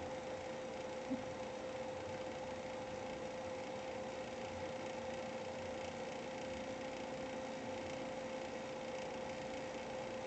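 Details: GPU fan running above 60% for over 5 minutes: steady whirr with a pure whistle-like tone and faint hiss, growing louder over time; cause unknown.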